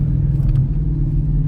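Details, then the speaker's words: Mustang on air suspension after replacing a shock mount and collar blown by a freeway pothole: even low road rumble over bumps with no knocks, clunks or rattles; the earlier noise is gone and the rear suspension sounds solid. "okay so the sound is completely gone thankfully like I can steer"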